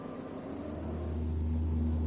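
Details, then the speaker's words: Car gives a deep, steady droning hum that swells as it runs on: an unbalanced propeller shaft vibrating with each revolution. "несбалансированный карданный вал также вызывает колебания при каждом своем обороте"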